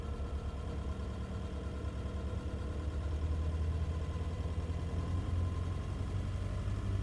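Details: Nissan Navara, abnormal engine noise noticed between 750 and 2000 rpm: steady low drone at idle with faint uneven undertone; cause not identified.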